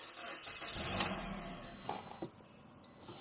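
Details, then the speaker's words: Car with a dead battery after a couple of days of trickle charging from a 10-watt solar module: slow, labored crank catches after a couple of seconds and settles into a run; just enough charge to start. "We're going to start the car, and I think it's just going to be enough crank. Give it a shot."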